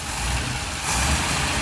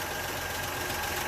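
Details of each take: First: 1962 Rambler American 400, cold with exhaust-heat choke on running rich, after new belt, radiator hose and clamps; revs rise cleanly, slightly rough, with no whirring, belt rubbing or bearing noise. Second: 1962 Rambler American 400, listened to via wooden dowel stethoscope and phone held to engine: steady idle with rough growling hum and faint thin tone; very loud alternator, worn bearing.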